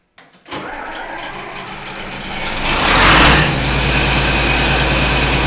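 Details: John Deere 4230 diesel tractor cold start after refitting broken frame bolts with Loctite: cranks a couple of seconds, catches with a roar, settles into a steady, even idle; normal cold start.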